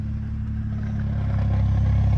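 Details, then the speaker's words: BMW 135i with 550i/335is clutch and lightweight flywheel, Burger sport muffler, idling with AC and lights on, idle raised slightly: steady idle with light metallic rattle, louder under load; lightweight flywheel rattle, wind may mask it. "it's already loud and lights on as you can hear it's definitely a little bit louder just because there is a load on it now and because it raises up the idle a tiny tiny bit"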